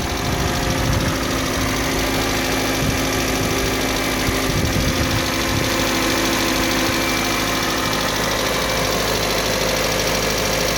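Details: Kia Sportage 3 at idle: even idle with a faint, fast ticking knock throughout that follows engine speed. Engine knock at idle, source not pinned down.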